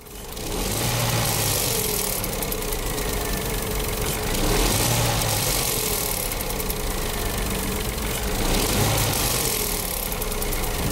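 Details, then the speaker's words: Renault/Dacia TCe 1.0 (H4D) petrol turbo, revved and released: metallic rattle rising each time the throttle closes, at the rear of the engine; play in the turbo wastegate rod, harmless to engine operation. "It's possible that when you release the accelerator, you might hear a metallic, rattling noise from the engine."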